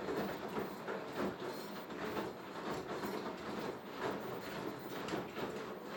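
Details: Beko HTV 8733 XSO appliance running quietly with an uneven clatter repeating about once a second, like a knock on each drum turn; the cause is not identifiable from the sound.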